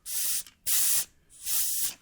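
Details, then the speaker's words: Microphone clipped down at the tire valve, tire near 24.5 PSI: three sharp half-second hissing bursts as the pressure gauge is not held square and fails to seal, giving an inaccurate reading and letting air out. "you're not getting an accurate reading and you're just draining tire air pressure out."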